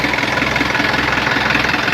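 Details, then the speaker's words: Isuzu 4HF1 diesel idling with loud rhythmic chuffing and heavy breathy hiss, dense smoke pouring from the crankcase breather: excessive crankcase blowby; piston rings and connecting rod bearings were later replaced. "Grabe woo grabe lakas ng blue bay ayan oh meron akong mausok sana kung ahon lang ng langis pwede natin tanggalin lang 'tong breeder naan kaso lakas na ng usok"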